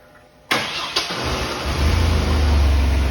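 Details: GM pickup with a no-start from low fuel pressure while cranking, and a 650 CCA battery testing only 454: a short crank catches within half a second and settles into a smooth, steady idle; now starts normally.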